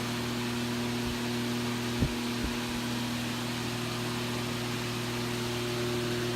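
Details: Vintage Vornado model A12D1-10 large desk/table fan, just oiled, running: a steady, even hum with a smooth airy whoosh and no rattles or scraping; the fan motor runs normally.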